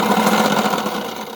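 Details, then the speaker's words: Bafang motor on a Banana Boss e-bike, whose internal gear teeth broke once before: wheel spins quietly, but harsh gritty rattle under pedal assist or throttle, fading as power drops; grinding noise under power, cause unconfirmed. "if the wheel if the wheels spin is okay but if i use the motor it makes a lot of noise so there's something wrong with the motor"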